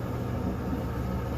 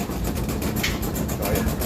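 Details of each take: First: Kenmore-type dryer test run after the flat-spotted rubber drum support wheels were replaced. A low, even drum rumble with no thumping on each turn; the dryer runs normally. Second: Kenmore dryer: heavy rapid rhythmic thumping over a deep rumble as the drum turns, drum rocking, because the two rubber drum support wheels have gone flat after a couple of years; fix is replacing the wheels with the belt.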